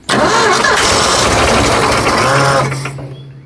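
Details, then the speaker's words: Forgotten Ford F100, formerly seized engine, fuel poured down the carburetor: engine catches and roars about two seconds then sags and stalls; no fuel delivery, fuel pump not pumping. "okay so I think what I'll do I know the fuel pump's not pumping"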